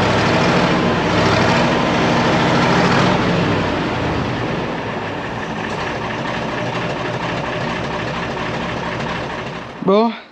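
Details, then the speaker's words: Deutz V8 diesel truck after injection pump timing adjustment by a diesel specialist: steady, even idle rumble, the earlier pap-pap-pap knock seemingly gone and noticeably smoother. "et j'ai l'impression qu'il n'y a plus ce bruit pap, pap, pap. On va voir quand il va tourner un peu plus longtemps. il est carrément plus doux le bruit là."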